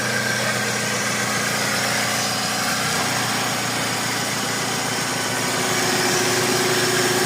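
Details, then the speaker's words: Toyota Previa after repair of a no-idle, hard-starting, dies-without-throttle problem: steady, even idle that holds without hunting or dying, now running normally. "hindi na siya namamatay nag-oral na siya Okay na yan"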